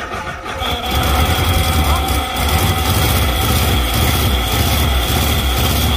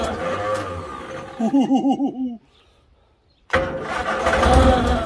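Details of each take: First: Fire-damaged Morris Traveller, first start in 44 years, hot-wired with new points, condenser, distributor cap and leads, fuel in the float bowl, vacuum advance unconnected: catches after a brief crank and runs steady with small throttle swells. Running fine. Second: Morris Traveller not run in 44 years, fire damage under the bonnet, after new leads and distributor cap: uneven cranking bursts, then it catches and runs roughly only on spray cleaner in the inlet; fuel delivery suspected, not confirmed.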